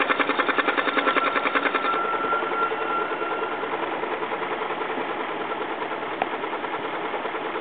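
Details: BMW X5 4.4i engine at idle with the oil filler cap removed. A fast, even light ticking, about three or four a second, comes from the open oil filler; engine ticking, source not pinned down.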